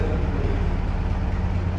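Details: GAZ-69A, first start after crankshaft replacement, with electronic ignition; low steady rumble at idle with an even beat, no knocks or stumbles, running fine.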